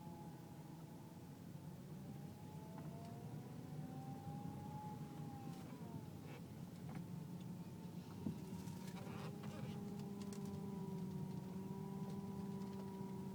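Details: Car with loud whine turning left or right below 10 mph, quieter at speed; power steering fluid full, no leaks or foam, belt normal: loud steady whine, pitch shifting as the wheel turns; pump or rack suspected, unconfirmed.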